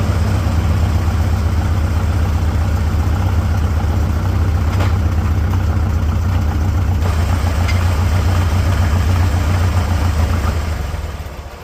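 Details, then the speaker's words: 1946 International Harvester Farmall H after repairs, gravity-fed from a temporary fuel tank: uneven low chugging about four beats a second, fading out as the carburetor runs dry; not enough tank head pressure, fuel starvation. "That's what I feared. This fuel tank is not giving it enough head pressure."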